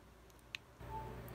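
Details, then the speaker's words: iPhone 7 Plus, previously with no sound and boot loop, gives one short clear charging beep when the charger is plugged in after audio chip jumper repair; audio now working. "guys hear the beep so it's beeping after I did this"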